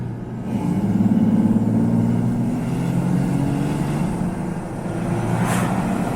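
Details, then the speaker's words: Jeep Gladiator with newly fitted aftermarket turbo on its first logged test drive at half to 3/4 throttle: engine pulls strongly, rising whoosh as boost builds; turbo kicks in noticeably, spooling normally, gauges look good. "You definitely hear the turbo kick in and you FEEL it kick in! It's pretty cool!"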